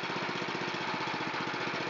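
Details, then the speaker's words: Honda GX270 on a NorthStar water pump after carburetor cleaning, started with choke and full throttle: single cylinder putting along at an even steady beat about twelve pulses a second; clean, stable idle. "And back to a nice idle again."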